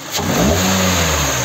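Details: Kia K5 after connecting-rod bearing replacement from below without engine teardown, fixing a rod knock: short clean rev smoothly toward 4000 rpm, hood open, settling back with even note and no knocking; sounds healthy.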